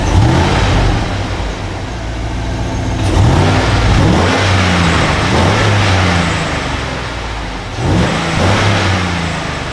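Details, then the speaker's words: GMC Yukon V8, cold engine start on a +9 degree day just after fitting a K&N air filter kit: deep, even burble with a couple of quick revs that rise and settle cleanly, no knocks, ticks or misfires; more growl and smoother than before. "That sounds really good. There's more of a growl on it. Very nice. Truck seems to be running a little bit smoother too."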